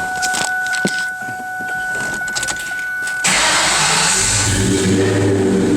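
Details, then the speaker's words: Low-mileage 2003 Terminator Cobra supercharged V8 with new X-pipe added to existing Flowmaster catback: door chime and keys, then it catches at once and settles into a deep, steady, healthy idle. "You'll see it definitely got the Mustang Flowmaster sound now, since we have the X pipe on here. It already had the Flowmaster catback."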